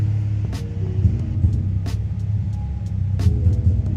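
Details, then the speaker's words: 2004 Nissan 350z V6 idling after warm-up and a drive where it broke up badly under rpm: low uneven rumble with irregular stumbles, misfire; owner suspects oil in the spark plug wells from worn valve cover seals. "anyways that's an issue it's just going you can hear the [ __ ] motor struggling to get correct fire and order off and all that"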